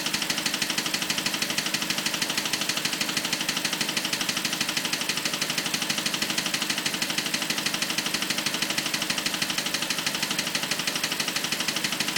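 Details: BMW 545 at idle: fast, very even sharp clicks at about three per second over a quiet idle; steady ticking whose source isn't pinned down.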